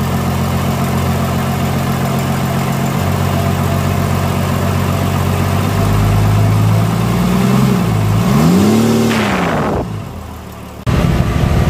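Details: Diesel engine whose valve clearance keeps loosening after adjustment: light steady ticking over idle through a brief rev; loose valve clearance tappet noise, traced to worn tappet lifters and cam lobes.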